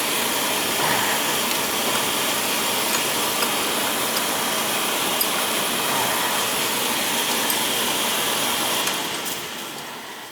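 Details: Oil boiler burner that was tripping on safety, after bleeding the pump, new filters at tank and burner, new Firomatic valve and new nozzle: steady even roar, no sputter, pulsing or cut-out. Normal burner operation.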